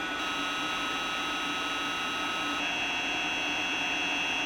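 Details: 3D printer cooling fan driven by PWM (rapid on/off power switching sets fan speed): steady high-pitched whine of several fixed tones over soft fan hiss, the annoying PWM switching noise the owner sets out to eliminate.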